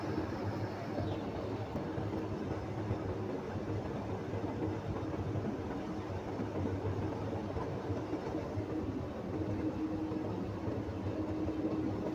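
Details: Diesel tractor idling during a CDL governor test: even low rumble with the compressor pumping quietly as air builds from about 90–100 PSI; normal build-up, governor cut out at 125 PSI.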